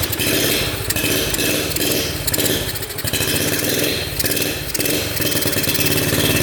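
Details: 1972 Honda CT70 with bogging problem, timing checked against F mark: small single sounds flat and lazy, throttle bursts surge without crispness; ignition firing about half an inch late, retarded timing, points gap to be adjusted.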